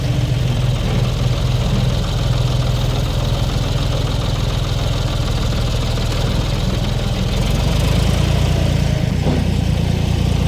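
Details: 1973 Ford 4500 industrial diesel backhoe, revived from scrap, digging stumps: steady diesel clatter at working speed with brief rev rise near end, even, no abnormal knock; machine ran great all day.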